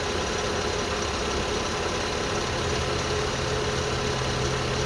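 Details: 2002 Lexus IS300 manual at idle: a faint steady high whine over the engine hum. It persisted after the timing belt, water pump, front main seal, cam seals and VVTi gear were replaced. The owner wonders about the oil pump; the alternator was replaced two years ago.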